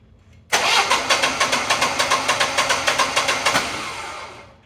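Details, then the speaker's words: Generac whole-home standby generator after replacing a roughly 7-year-old low battery: brisk, even cranking at about three and a half beats per second for three seconds; normal cranking and start. "all right we switched out the battery this is what a fresh battery should sound like when the generator is trying to start"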